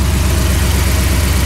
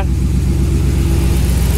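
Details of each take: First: Dodge Ram 1500 with swapped 5.7L HEMI on Holley Terminator X EFI: V8 idles with an even, deep throb at 950-1000 rpm instead of the 750 target; vacuum leak from a severely leaking brake booster. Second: Dodge RAM 1500 2nd gen with swapped 5.7L HEMI V8 on Holley Terminator X EFI, 727 transmission, first runs with coated exhaust: deep steady warm idle, even pulses, no misses or knocks; sounds healthy, fan rattling on shroud noted.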